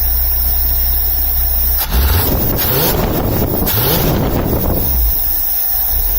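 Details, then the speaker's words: 1978 International Scout II 345 V8 with a Holley 2210 carburetor, started cold with no throttle: steady, even low rumble at idle with no stumble or hunting; it runs clean at idle before the off-idle stall fix. "I'm just going to start it up here. No gas, no nothing. This is cold, by the way."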